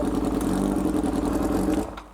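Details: Motorcycle imported from Japan, first start on full choke, apparently missing its exhaust can. Even, steady mid-pitched engine note held smoothly before winding down; normal running.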